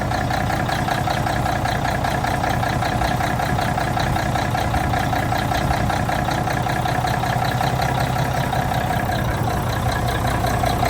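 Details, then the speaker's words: 1985 Mack R Model diesel truck steady, deep idle with an even clatter, no misses or knocks, right after the problem starter was replaced with an updated lighter Mack-store starter; everything working properly. "Okay, we got starter changed. Everything appears to be working properly."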